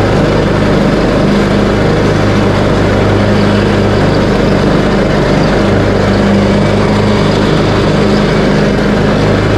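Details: Craftsman T130 riding mower after fuse and ignition switch panel repairs, mowing end-of-season grass with deck set high, blades engaged: steady low drone at constant speed, no misses, knocks or rattles, healthy under load.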